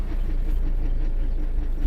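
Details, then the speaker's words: 2011 Mazda 6, nearly 200,000 miles, towed in not moving: in gear the speedometer stays still when revved, low drivetrain rumble with faint ratcheting about twice a second, the park pawl trying to engage; park pawl ratcheting. "That noise is the park pawl. The park pawl is what holds your car in park."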